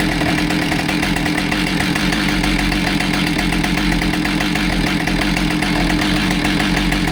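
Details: Husqvarna 572XPG chainsaw after being run over, with a new bar, heated handle replaced and crank judged straight, on its test run; steady even two-stroke buzz holding speed with no wobble or shake; running normally.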